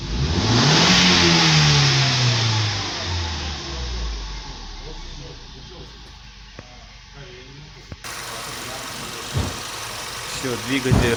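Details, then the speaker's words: 2015 Ford Mustang 2.3 EcoBoost turbo after a full engine rebuild for a knock from a failed cylinder 2 rod bearing: clean rev climbing and falling smoothly to an even idle, no knock or tapping; healthy engine. "чётко без каких-либо претензий"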